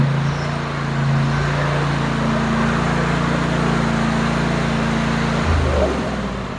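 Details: Cub Cadet 54-inch mower, 24 HP Kohler twin, after ignition coil module replacement: steady drone holds speed without bogging under load, easing down near end; previously bogged when PTO engaged. Fixed, normal running.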